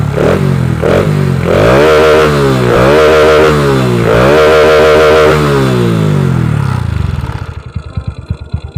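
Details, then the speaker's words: Honda Wave 125i motorcycle on the road after replacing the fuel injector, which had been too rich and stumbled when throttled; now pulls cleanly through rising revs and gear changes with no stumble or hesitation; normal. "อ่าโอเคเพื่อนมีไหมพอรอเปลี่ยนไปเนี่ยวิ่งดีเลยเพื่อนไม่มีแล้วนะการติดนะเนี่ย"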